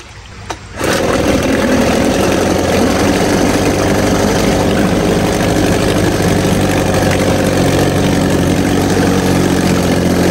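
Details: 1950 Johnson HD 25 2.5 hp two-stroke outboard, first start after long disuse, run in a water bucket with carburetor adjusted: catches after a pull but the beat wavers at low throttle, won't idle lowest; owner suspects the points need cleaning.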